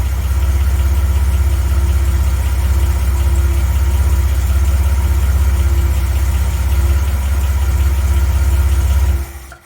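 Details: 1980 Reliant Scimitar GTE SE6A restarted after a month laid up, fed fuel directly pending new fuel lines; even low idle thrum holding steady for several seconds before switch-off, idling cleanly.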